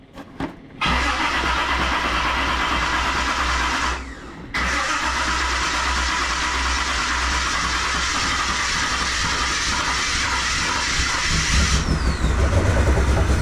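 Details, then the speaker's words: 1978 Reliant Scimitar SE6A, Essex V6 with automatic: after a half turn on the throttle stop, engine cranks, catches and settles into a steady, fairly low idle that creeps up slightly; idle speed set too low. "I'm going to give that a we half turn. See if we can bring the idle up a wee bit and see if that helps it."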